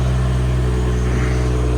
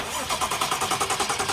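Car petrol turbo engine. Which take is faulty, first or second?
first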